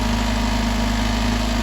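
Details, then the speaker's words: 1990 Mazda Miata with a high, surging idle, likely from the idle air control valve, just started with a weak starter: smooth, even idle with a steady low hum, no surging so far, though it idles higher than it should. "And so we've got a pretty stable idle so far. So we're going to let it run for a minute here, and we'll see if it starts doing weird stuff like it was doing before."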